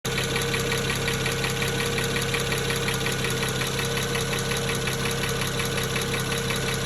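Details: 2009 BMW 335xi N54, injectors replaced three years earlier with index 12, idling slightly rough with no codes: a light, quick tick of about three a second, unlike the usual N54 tick; owner suspects a bad injector.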